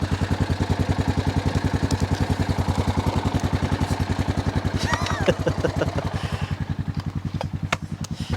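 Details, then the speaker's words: Honda Foreman 450 ES ATV, dead battery, old bad-smelling gas, electrical problems, started without choke: steady even single-cylinder thump about 3.5 per second; normal idle. "I'm not even choking the thing. I forgot. I wasn't expecting it to even try to stare. Listen to that thing. Purr."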